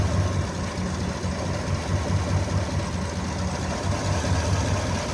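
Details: 2016 GMC Sierra V8 with an unstable, lumpy idle and an irregular stumble every couple of seconds; cylinder 7 misfiring, its valve said not to be working; rough idle from misfire.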